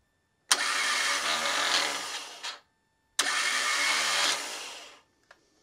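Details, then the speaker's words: Car starter motor on the bench, free spin, current measured for hard start relay test: solenoid snap then steady high whir fading evenly; current probably past 10 amps briefly then about 7.5 amps; healthy starter. "So when I hit the start button, you're gonna see the motor start spinning. It's gonna shoot it out into the flywheel and it's gonna create some current to do that."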